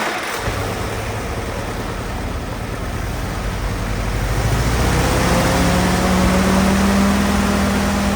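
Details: Old Willys Jeep four-cylinder that sat for years, revival run with the carb not pulled apart. After a brief clatter it settles into an even idle that firms up slightly, no misses or knocks; normal idle.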